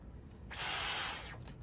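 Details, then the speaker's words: New Dyson V15 Detect Extra cordless stick vacuum, straight from the box on its factory charge: quick high-pitched laser-like whir spins up, holds briefly and winds down cleanly, no rattle or scraping; normal motor run. "oh and it already turns on oh it makes a cool noise too sounds like a laser gun"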